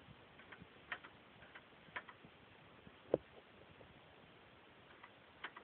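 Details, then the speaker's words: Charger (2011 per owner, 2013 in title) with passive entry door handles that short out when rain gets in: faint, sharp clicks about once a second as the door lock actuator keeps firing. The trunk also opens by itself. "like I said this is one of the the big problems you can actually hear the lock going"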